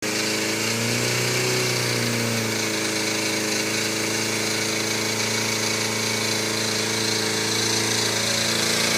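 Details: Yamaha FZR250R started for the first time after a top-end rebuild with new piston rings, valve clearances set and helicoils for the head studs: high-pitched wail rising and falling smoothly with the throttle, clean and even with no rattles or misfires.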